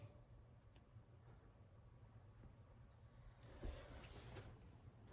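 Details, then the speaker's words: John Deere 8310RT during spring maintenance after a fuel filter change, key on without cranking: a faint steady low buzz with the engine silent as the fuel pump cycles to prime the system. "i can hear the pump going it's buzzing"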